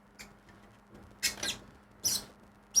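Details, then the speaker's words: Short high squeaks about once a second as the crank turns an antique roughly 60-year-old film developing tank; dry or tight axle squeaking, with a few drops leaking at the axle, which the owner thinks was not tightened enough. "On va dire euh on va faire ça pendant 2 minutes. On l'entend grincer quand même."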